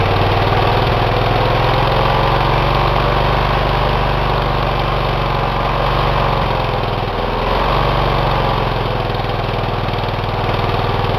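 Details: Engine run with one cylinder head removed, after a damage check following oil in that cylinder: fast, loud, uneven popping idle with a lopsided beat, running on a single cylinder. No damage found.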